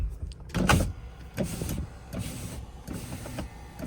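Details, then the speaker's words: Newly acquired project car on test drive: power window motor whirs strained and uneven with dragging bursts as the glass moves slowly; sticky window channels need cleaning, auto function not working. "Definitely needs cleaned. You can hear how sticky the windows are."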